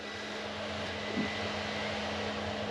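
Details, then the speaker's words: Chinese diesel heater in a camper van run via a 12V transformer from a power pack, on low; steady, even fan hum with soft rushing air, no ticks or surges: normal running. "look at that it's working really well I'm so chuffed with that I'm really pleased with that"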